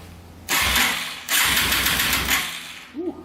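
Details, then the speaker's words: Yamaha TTR230 after some bolts were refitted with blue Loctite, cranked on a charger without oil or carburetor: two bursts of steady, even starter whir with no grinding, nice and smooth; owner unsure if crank is junk. "that sounds pretty good. I don't know if the crank is junk or not, but it sounds a lot better, nice and smooth."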